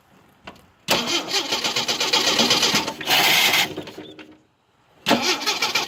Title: Jeep hard start